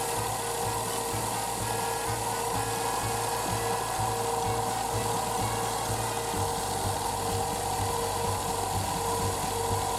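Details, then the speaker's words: Daihatsu Tanto L375S (early type with belt-driven steering pump), stethoscope on alternator near the belt: constant gritty rushing roar with faint pulsing; compressor ruled out, water pump recently replaced, noise traced to the alternator bearing, replaced with rebuilt unit. "実はもう故障個所はおおよその見当は付いてます。ウォーターポンプは少し前に新品と交換してますし、この手の音は、モーター音なのでオルタではないかと。"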